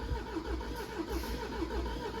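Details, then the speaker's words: 2018 Jaguar XE, 2.0-litre Ingenium engine, cranking on a booster pack: lopsided cranking beat with one weaker stroke, low compression on one cylinder; once it runs it barely goes on three cylinders, with an engine overspeed fault code stored. "Once it runs, it only barely goes on 3 cylinders."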